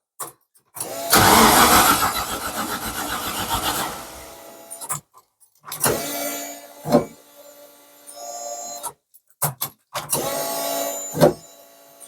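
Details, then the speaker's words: Mk1 Ford Capri with turbo Rover V8, newly wired ECU, first start attempt: loud rough roar for about three seconds, then brief stumbling bursts that die; won't hold idle, smoke, turbo audibly spinning. Engine starts but stalls. "well it starts at least"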